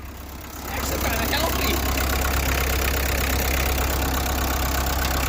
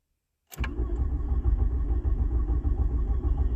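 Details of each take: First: 1986 VW Jetta 1.6 turbo diesel after a tow-start, on the drive home with heater working, coolant circulating and oil pressure: steady diesel clatter that picks up briefly under revs then drops back, even on all cylinders; normal running. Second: 1986 VW Jetta turbo diesel with almost no compression, a dry injection pump and a half-dead battery, earlier tow-started: steady starter cranking at about 200 beats a minute with no firing. Glow plugs get no power. Crank, no start.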